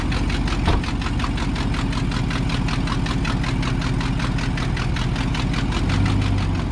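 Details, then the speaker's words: Work truck bought at auction, 93,000 miles, check engine light on, idling: quick even ticking about five a second with hissing, louder than it should be; exhaust manifold leak tick at rear cylinder, suspected broken or missing manifold bolt. "I think the exhaust manifold has a broken bolt in the back or missing you can see where the back cylinder it's missing so it's making a hissing noise it's a little bit louder than it should be"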